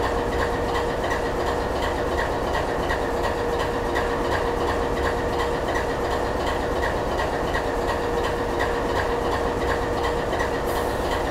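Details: GE 7FDL16 diesel at low idle: deep, slow, even chugging with a steady hum over it; running normally.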